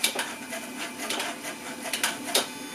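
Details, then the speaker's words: Jaguar AJ30 (Duratec) V6 swap, Bosch 73 mm electronic throttle body replacing original Jaguar unit, pedal pressed: short scratchy whirring bursts as the motor sweeps the plate; expected scraping, working normally. "But the uh it should make a noise at least kind of scraping noise. The throttle p throttle body is this thing which is a Bosch part 73 mm I believe"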